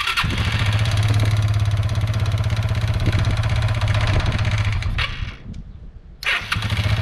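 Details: Kawasaki Bayou 220 ATV after wiring repair, fuel line clamp leaking: engine cranks, catches and settles into a quick, fairly even putter with a brief dip before picking back up; starts and idles fine.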